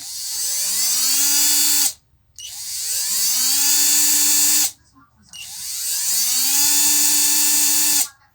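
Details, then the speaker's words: Hummer PLI12 cordless screwdriver after motor repair that fixed no-reverse and strange noise: three clean runs in both directions, spinning up to a steady high whine and stopping crisply; motor runs normally. Owner still suspects something loose in the gearbox. "então tá rodando agora pros dois sentidos. Bacana. Beleza, o motor a gente resolveu."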